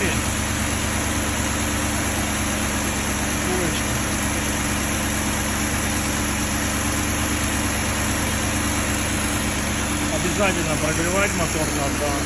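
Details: Fully warm BMW M62B35 V8 after VANOS units were reinstalled with corrected timing to cure a knock from earlier wrong fitting: settles into a steady, even idle with a smooth hum, no ticking or knocking; healthy.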